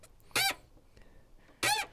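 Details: Fiat Panda clutch operated while listening under the bonnet: two sharp squeaky creaks, one per pedal movement, from the clutch slave cylinder; slave cylinder creak, replaced afterwards.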